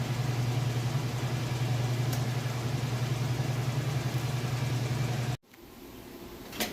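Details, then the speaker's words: Whirlpool Roper washer, a few years old and in like-new condition, on the spin cycle with a large load of towels and jeans: a smooth, steady low hum at constant speed with no thumping, rubbing or squeal. Quiet, a normal spin. "And now we are in the spin cycle. As you can see, it's working great."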